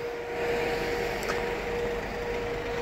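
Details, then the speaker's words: Mercedes-Benz Vito 113 CDI LWB fridge van, 62 reg, about 47,000–48,000 miles, 136 hp, with a roof-mounted GAH chiller unit. Steady even fan rush and constant mid-pitched hum, no knocks or rattles; the unit is working fine. "You can hear the unit there, working fine."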